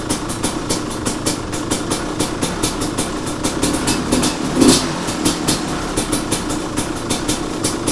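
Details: 2005 Kawasaki KX250 first start after full rebuild (had low compression, shot piston, crank play), choke on: crisp two-stroke pops at idle with clean throttle blips rising and falling; healthy, responding well.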